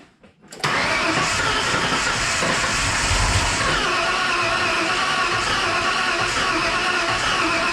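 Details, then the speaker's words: Ford 302 5.0L V8 in a Bronco after regasketing and reinstallation, fuel pump relay pulled: even starter churn, engine spins without catching, cranked to build oil pressure before first start; owner thought one cylinder may have fired. "I think I'm going to pull the fuel pump relay or the fuse and crank it over a couple times, so that way we can get oil, you know, going through the system before it actually fires."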